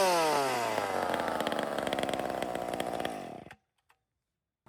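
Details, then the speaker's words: Chainsaw screams to a thin, piercing pitch at full throttle and holds before cutting off, despite the high-speed jet having been richened; lean high-speed running. "Did you hear how that thing screamed just there? Yeah. I actually made it fatter than when it was."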